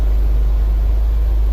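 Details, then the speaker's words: 2005/2006 BMW 530xi with complaints of hard starting and random stalling, after a visual inspection found a trunk fault and it was disconnected: it starts much better and settles into a deep, steady, even idle with no misses. "see if this starts up better there we go that's light hasn't taken that place started up a lot better"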